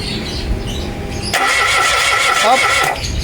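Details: Mitsubishi Mirage G4: the starter spins the engine with an uneven whir and a thin squeal, but it never fires or catches; cranks, no start.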